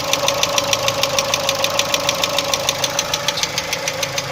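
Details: Chevrolet Cruze 1.6 engine at idle: sharp, even ticking knock about three per second over a steady idle; engine knock of unknown origin.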